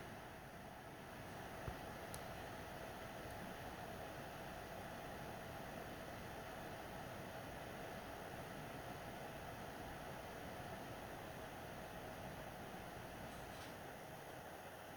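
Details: PS4 Pro, first-gen 7015B with copper shim and new pads on south bridge and HDMI-area chip vs dust-cleaned third-gen 7215B; during regular gameplay after a taxing cutscene, fan noise drops a lot; soft steady air hiss under load, no roar or rattle: normal quiet fan.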